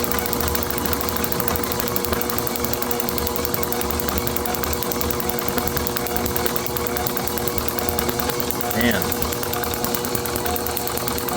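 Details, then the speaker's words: Overhauled IHC H4 magneto from a Farmall MD, meant for a TD-6 crawler; rapid, perfectly even ticking with no skipped beats (a miss would change the spark tone): normal magneto spark. "I know on the video it's probably not looking as steady, but you can hear by the clicking that it is not missing a beat. If it was missing, it would be very easy to hear by the tone of the spark."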